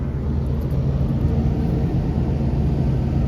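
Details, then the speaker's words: Gas pack rooftop package unit jumped into cooling during a first-time PM: steady, even low rumble with no knocks, rattles or squeals; temperatures dropping, running smoothly, though coils need cleaning. "So I just jumped it out in in cooling, and we're gonna let it run for a little bit."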